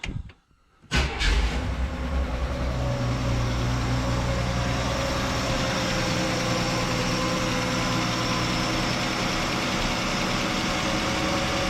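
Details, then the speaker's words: Chevrolet Nova straight-six, cold start the next day after cleaning and refitting the valve cover with a gasket. Engine catches after a short crank and settles into a steady, even idle with no ticking; sounds healthy. "Sounds great. Sounds great. Now I feel better about moving forward."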